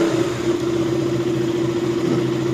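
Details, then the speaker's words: KTM RC 200 after repair: steady idle held at 1500 rpm with an even tone, no hunting; check engine light cleared and fan no longer auto-running. Cause was missing ground to the TPS and coolant temperature sensors. "Okay como pueden ver automáticamente se borra el check engin ya se borró el mínimo se mantiene estable en 1500"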